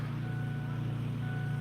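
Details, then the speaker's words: 2001 Ford F250 7.3L diesel, key on, engine not running, glow plugs on with battery at 11.4 V: steady low whirring hum from up front, owner suspects the fuel pump. "something making noise up there. Maybe a fuel pump. Right now, the glow plugs are running."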